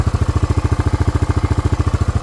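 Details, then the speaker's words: Club Car DS golf cart powered by a Honda ATC 250SX single-cylinder engine, run for 3 years with a shifter joint needing welding: even thump at roughly ten beats a second, steady and smooth with no knocks or misses; healthy idle. "Campgrounds, things like that, no problems at all. Great running machine, does everything it should."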